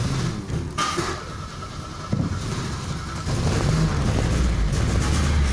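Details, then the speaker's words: Chevrolet Monza 2.0 1995 petrol, cold at 23 °C, low battery at 12.2 V: runs lumpy and uneven, nearly dying, won't stay running, high fuel consumption, with ignition timing off and fuel pressure/injection out of adjustment. "tu viu aí o carro tá bem ruim mesmo tá com alto consumo tem mais coisa errada nesse carro que eu já vi certo"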